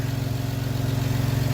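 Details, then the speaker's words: Honda Pilot SUV started and running on a homemade 12V battery of revived dead A123 LiFePO4 26650 cells. Strong, steady low idle with an even throb and no misfire, knock or stumble; engine running normally. "The car does start. Okay? Same battery. It is running."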